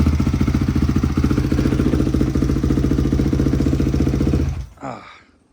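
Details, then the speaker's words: Barn-find Honda CRF unrun for years, cold, started first kick with choke off, after valve adjustment (three of four valves out of spec): crisp, even single-cylinder thump about 3.5 beats a second, steady until shut off, barely smokes; healthy, clean idle. "Bike sounds good. Sounds like a Honda. Um, doesn't even really smoke."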